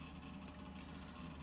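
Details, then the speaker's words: Packard Bell Legend 822CDT during Windows 95 setup while installing devices: quick scattered hard-disk head clicks over a steady low hum. Normal seek clicking under load. "but we are installing devices that hard disk is clicking away you can hear it that is good clicking"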